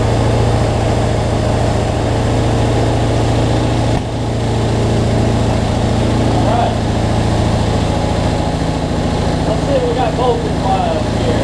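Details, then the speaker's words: Cub Cadet zero-turn mower, Briggs V-twin, after adjusting a too-tight governor that let it race out of control and fixing rich running: steady, even low drone at constant speed, no surging or hunting, no black smoke; battery not charging. "let's see what we got so much better though no black smoke so"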